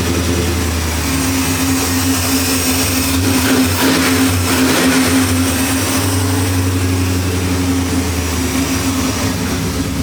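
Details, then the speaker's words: 1973 Impala 406 small-block Chevy V8 after replacing a collapsed lifter and fitting 2-piece guide plates on aluminum AFR heads, total timing about 36°. Deep, even burble at warm-up idle, almost at temperature. Lifters are quiet with no tapping yet. "So far, this thing nice and quiet up under the hood. So I haven't heard the lifter start tapping yet, but it's not quite up to temperature."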